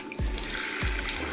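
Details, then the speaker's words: Humming mixer tap after reassembly with a replaced rubber seal: water runs in a steady, even rush with no hum or drone, only background music; the tap is quiet and healthy. "turn the taps to the on position and now you'll see that the water should be running and shouldn't be making any type of noise"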